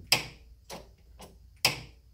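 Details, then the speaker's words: Newly installed Aldan coilovers click whenever the car brakes or accelerates, a noise absent before; replicated with the car jacked up, giving sharp isolated clicks, three or four in two seconds. The spring expanding or collapsing is suspected. "it's like almost like this this spring is making some noise but that's what I hear what I'm driving"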